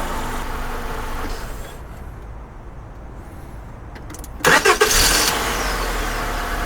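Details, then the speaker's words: Honda Accord, about 2001-2002, that wouldn't start; after starting fluid, restarted after running about 5 minutes: idle cuts off, short crank catches promptly to smooth, even idle; suspected simply out of fuel. "so yeah see now we've had it been running about 8 minutes 9 minutes so we think what happened we just ran out of fuel"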